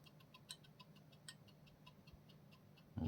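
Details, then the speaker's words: New GESTORE 1200mm 3-blade ceiling fan motor spun by hand at unboxing: faint quick even ticking about six or seven a second; owner says bearing noise that shouldn't be there, expects louder at high speed. "அது sound வருது பாருங்கள், bearing noise வருது. அந்த bearing noise வரக்கூடாது, அதில் bearing noise வருது."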